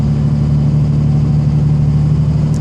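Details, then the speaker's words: 2005 Dodge 3500 5.9 Cummins common rail with a built transmission and triple-disc torque converter, before injector replacement. Under load, a deep rumble carries a light, even fuel injection rattle that doesn't change with revs; the engine otherwise runs well. "I'm not sure if it's just the heavier rotating mass that you can really the injection you probably listen here it's got that fuel rattle"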